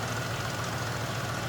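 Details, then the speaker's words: 2000 Cadillac Eldorado ETC, 62,747 miles, 4.6-liter V8, no check engine light, hood open: quiet, even idle with a steady low hum and no knocks or ticks; nothing out of the ordinary, sounds healthy. "Sounds good. Actually nice and quiet. Nothing out of the ordinary there."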